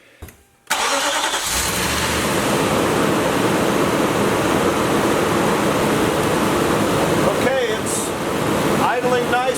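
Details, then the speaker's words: 2015 Nissan Armada 5.6, 145k miles, after new coils, spark plugs and battery (had rough running, right-bank and cylinder four codes): brief crank, catches cleanly and settles into a steady, even idle, smooth in gear with no misfire. "nice and smooth. I put it in gear. There's no misfire."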